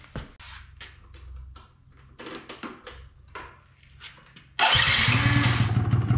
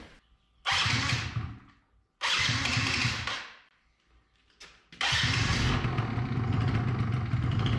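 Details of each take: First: 2005 Yamaha Zuma YW50 two-stroke scooter, next day, oil seeping from oil level sensor: several weak cranking bursts, catches with rough uneven buzz that fades; won't stay running; secondary ignition coil later measured bad (8.52 vs 2.9 kilo-ohms). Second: 2005 Yamaha Zuma YW50 two-stroke scooter with new replacement ignition coil after old secondary coil measured bad: a couple of short cranking bursts, then catches and settles into a steady, even buzzing idle; normal start.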